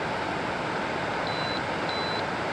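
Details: 2013 Frigidaire FAD504DWD 50-pint dehumidifier after its dirty button contacts were cleaned with electrical contact cleaner: two short clean beeps near 4 kHz over steady fan hiss; buttons that had locked up now respond normally.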